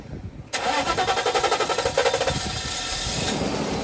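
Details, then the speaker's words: 1997 Mercedes S420 W140 after sitting for years with dirty fuel system: about two seconds of cranking, then catches and settles into steady idle; starts on its own, not great. "All right, there we go. Oh yeah. That's good. Not great, but goals accomplished."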